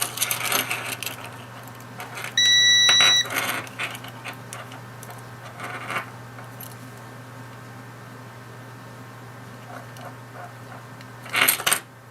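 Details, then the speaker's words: Key fob from a Jaguar S-Type 4.2 V8 that won't lock or unlock the car properly, opened up for a switch test: multimeter in continuity mode gives a clean, steady high beep under a second amid handling clicks, showing the circuit conducts. "so we've got multimeter which we'll do uh continuity mode test the probes we've got the light so that's obviously circuit goes that way"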